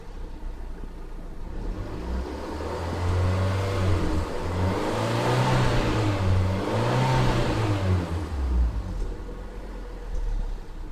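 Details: Fiat Punto 188 engine with misfires; revs rise and fall with an uneven, stumbling beat, roughly two stutters a second, instead of a smooth pull: engine misfire.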